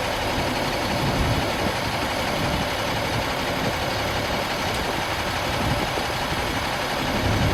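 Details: 2000 Stewart & Stevenson M1085A1 5-ton military diesel just started after adding fuel and repriming. Steady even idle with dense low rumble, no knocks, misses or surging; good oil pressure, no warning lights.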